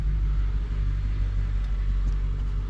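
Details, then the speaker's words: Audi A6 Allroad 4.2 FSI V8 gasoline idling with fuel pump fuse 30 pulled to depressurize fuel system before fuel filter change during service: deep, low, even V8 rumble with nothing irregular. Normal idle. "Let it idle a little bit. Once it dies out, then the fuel system should be depressurized."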